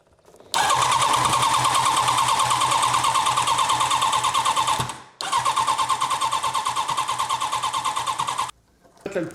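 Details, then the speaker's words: Turbocharged H2R Wish drag bike cranking: starter whirs steadily with even pulses about three per second, twice, never firing; engine flooded because the fuel pump ran too long before starting, cylinder 1 full of fuel. "le problème, c'est que j'ai laissé la pompe tourner trop longtemps sans la démarrer. Du coup, j'ai noyé le moteur."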